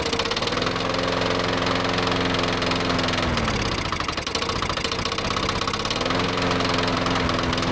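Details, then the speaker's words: Yard-sale push mower started on a tickle of fuel after reassembly; owner didn't like its oil and kept the run short. Runs unevenly, sagging midway then picking back up; the spark plug pulled afterwards looked a little oil fouled. Rough running. "Oh, she's running. Looks a little Yeah, a little bit uh oil fouled."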